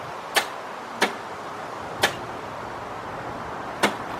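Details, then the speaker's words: 1990 Buick LeSabre 3.8 that only clicks when started, with grounds, battery and corrosion already checked: four sharp, irregular clicks with no cranking and almost no voltage draw; a bad starter solenoid. "now as you saw that didn't hardly pull any kind of voltage so on we definitely got a bent starter solenoid here"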